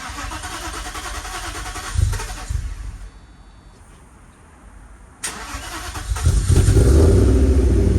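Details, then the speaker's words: 1995 Mercedes W140 S500 after gas tank replacement (old tank and filter full of mud), fresh fuel: starter cranks briefly, engine catches within a second and settles into a steady even idle; starts and runs fine. "for incredible started pretty much right up"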